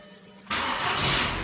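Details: 2008 Volkswagen Jetta 2.0 turbo that shut off at stop lights and lost dashboard power, no power to fuses 6, 9, 10, 11, 12, after swapping the faulty relay: engine fires immediately and settles into strong, even run; normal start.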